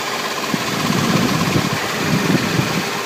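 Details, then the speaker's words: 2000 Toyota 4Runner 3.4L V6 idling, light uneven ticking heard from underneath where transmission and engine meet; goes away above about 1700 rpm and, once warm in park, unless revved. Cause unconfirmed. "this is from underneath the car it seems to be coming from where the transmission and the engine meet it goes away when revved about above about 1700 rpm"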